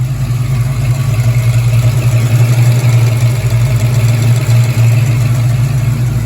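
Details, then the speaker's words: Foxbody Mustang that starts hard and surges when warm, first cold start of the day with a new coolant temperature sensor, running about 10 minutes: even, steady low idle with no stumbles or surging; normal cold idle. "That's the first start of the day. So of course it started right up. Everything was cool, idled great."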